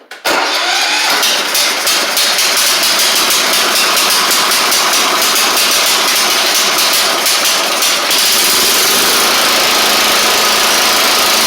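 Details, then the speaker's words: Troy Bilt Bronco riding mower, Kohler Courage single-carburetor engine, after straightening bent choke butterfly that wouldn't close: catches then uneven, loping, wavering run; better but still not great, choke spring not returning, looks broken; rough running from faulty choke. "better still not great but we'll see what maybe we can muster with something here um this one the choke spring isn't returning it like it needs to so so cuz it looks like it's broke"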